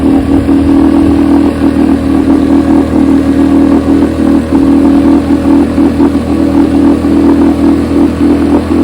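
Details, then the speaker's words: Test motor running on a freshly rebuilt, chem-dipped carburetor from a 1972 Evinrude 9.5 HP outboard: steady, even buzzing two-stroke note at constant speed with no misses or surging; the rebuilt carb tested fine. "As you can see, the carburetor tested just fine."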